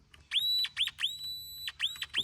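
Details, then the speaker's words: No-crank no-start car: continuity tester touched to the starter gives a high, clear whistle in short chirps and one long hold, confirming good ground through the transmission; the starter itself was later found failed. "All right, now listen. I'm just going to touch the starter. Hear that? So, we got good ground."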